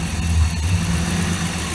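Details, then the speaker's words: 2002 Ford F150 5.4 2V with codes P0401 and U1262, EGR solenoid grounded to test: engine stumbles then returns to smooth, even idle, no misses; EGR solenoid and passages confirmed good, DPFE sensor next to test. "and it returns back to normal so i know now for sure that the egr solenoid is in good condition"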